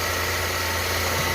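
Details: Renault Kwid with misfire problem, after cylinder head removal and reinstallation: smooth, even idle with a steady low hum and no stumbles or shakes; engine running cleanly.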